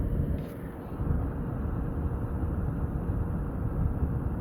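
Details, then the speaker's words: Original fan set between low and medium, for comparison with the newer one; only a soft, even rush of air with no whistle or tone; normal quiet running. "This is the original. If I set it to the same setting, which is right between medium and"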